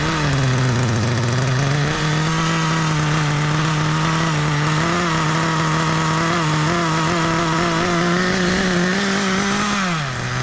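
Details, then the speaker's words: 1997 Kyosho nitro RC with cooling fan, running outdoors in wind: a steady, high buzzing idle that holds pitch without hunting until the end. It idles smoothly and evenly, and the engine stays cool to the touch. "and the idol you just can't kill that idol i could probably leave it here all day"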